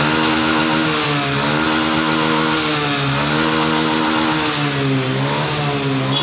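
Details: Motorcycle that stalled at full throttle (TPS sensor error), after a 2–3 mm shim fitted at the throttle lever: engine held at high revs with smooth steady buzz, no stumble or cutting out; pulls cleanly, no problem.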